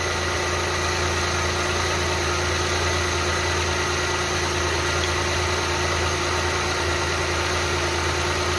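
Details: Renault Kwid that had a misfire, after cylinder head removal and reinstall: a steady, even idle with a constant hum and no shake or stumble. The engine runs smoothly.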